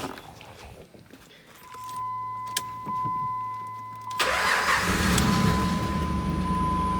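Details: 2005 Jeep Liberty Renegade, 3.7, manual, with a no-crank no-start fault from a broken wire 29 feeding the computer. With a jumper from the 20 A fuse 24 bypassing it, a chime sounds, then the engine catches and settles to a steady idle.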